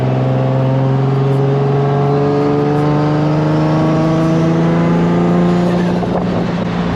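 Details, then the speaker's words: Boosted Nissan Z after new engine harness, pedal, throttle bodies and ECU: engine drone climbs and holds rpm instead of dropping on gear change, problem unresolved; idle improved, exhaust leak present, hot weather. "still does that dumb ass thing when i shift and it holds the rpm"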